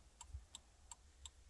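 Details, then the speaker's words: 2001 Jeep Cherokee XJ, key on after replacing the turn signal flasher relay: quiet, crisp ticks about three per second, evenly spaced; blinkers working again, normal flasher clicking. "hey just like that we got blinkers back flashers man yep that's what it was"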